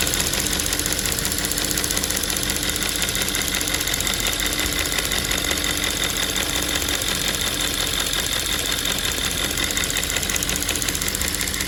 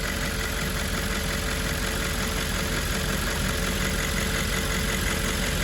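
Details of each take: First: Audi S5 4.2 V8 (2010) at idle: fast, light, steady ticking over a smooth V8 idle from a faulty fuel vapour purge valve clicking; the valve is diagnosed and replaced. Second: 2010 Audi S5 4.2 V8 after replacing a faulty fuel purge valve that caused a ticking noise: smooth, even low-rumble idle with no ticking over the top. Normal idle.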